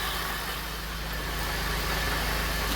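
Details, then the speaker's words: Pontiac Bonneville SSEI after a transmission swap, first start after fixing a ground and fitting a charged battery: even, steady idle with a smooth low hum and no knocks, misses or surges; transmission fluid about 2–3 quarts low. "Oh yeah, she definitely, I mean, it's not too horrible."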